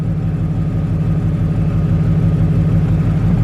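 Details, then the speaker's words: BMW E34 wagon idling after O2 sensor replacement: steady, low, even thump with no skips or stumbles, no misfire; an exhaust leak underneath affects the sound. "Give it a little gas. Seems smooth."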